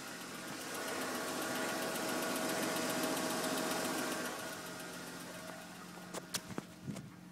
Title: M52 strange noise